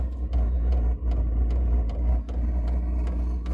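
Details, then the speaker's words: New Vevor 8 kW diesel heater on its first fire-up, powered by a Milwaukee battery after a 60 W power supply failed to start it, with some exhaust smoke: steady blower roar and sharp fuel-pump ticks about every 0.4 s. Lit and running normally. "that Milwaukee battery is starting up this diesel heater can you believe that"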